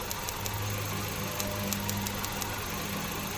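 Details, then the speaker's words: 2009 Hyundai Getz with misfire check engine light: steady idle with sharp irregular snapping ticks as spark leaks off the ignition leads, found with a test light on almost every lead, causing rpm drops. "hope you can see the engine and hear the rpm drop pretty cool so i'm just showing the co-workers what was going on and actually it's doing them on just about every lead"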